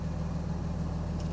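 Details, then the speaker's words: RAM with a new fan clutch, cold first start of the morning, fan not demanded: even idle with a smooth fan whoosh and no roar, rattle or wobble; the cooling fan sounds healthy. "all right so fan is not being demanded on and it's cold right now i just started up for the morning"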